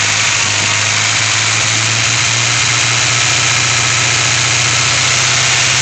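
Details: 2000 Honda Prelude base, 97k miles: steady engine note with an uneven stumbling pulse of about three to four beats a second, a misfire occurring only at about 2,000 rpm, cause unknown.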